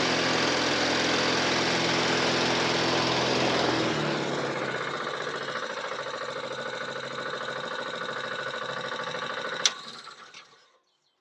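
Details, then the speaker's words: Briggs & Stratton 450E mower after full service (had stood a few years with old fuel, used to cut out after seconds), steady even single-cylinder beat, ticking over sweeter on fresh fuel, then slows and shuts off cleanly; running normally. "that's ticking over sweeter than that now i think what it was is i've been stood for a few years it had south fuel in the farm but it's just about through that now"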